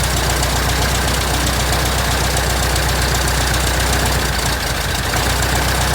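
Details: 1967 Citabria restoration, first engine start: steady, evenly spaced firing pulses at low idle under a constant rushing hiss, no misses or stumbles; normal idle.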